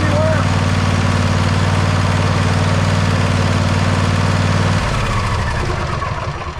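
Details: John Deere mower engine idling after oil change and converting the Easy Change filter to a regular oil filter; even, steady low beat, then slows and fades at shutoff, runs healthy.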